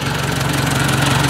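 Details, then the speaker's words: Ford 800 tractor after exhaust change: steady even low thump at a relaxed idle with no ticking or stumbles; engine running smoothly, ready for plowing. "Well, that sounds pretty nice. I think she's ready for plowing."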